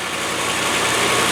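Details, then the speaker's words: 110 V8 with a big carburettor, no exhaust Y-pipe fitted yet, just started after refilling the cooling system: steady, loud, even rumble with much hiss and no knocks or misses; smooth, open-sounding idle. "It sure is a nice engine. I bet it goes like feces off a stick with that big carbo."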